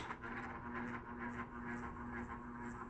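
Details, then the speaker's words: Ceiling fan buzzing steadily on medium and low speed but not on high, not following blade rotation. The noise stops the instant power is cut, so it is electrical, probably the capacitor. "check it out as soon as we turn off the power the noise stops immediately that shows you it's not mechanical it's electrical it's probably going to be the capacitor"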